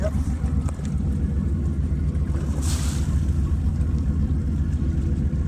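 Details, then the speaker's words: Grand Banks 42 diesel just after start, heard at the exhaust outlet; deep rumble with loose, uneven water-splash pulses about two per second. Normal cooling water discharge; pulsing differs between sides because one exhaust has an extra 90-degree bend. "And then these pulse differently because this one is more straight line than this one. So on this one there's an extra 90. There's 290 because it has to bend up around. It's like water coming out"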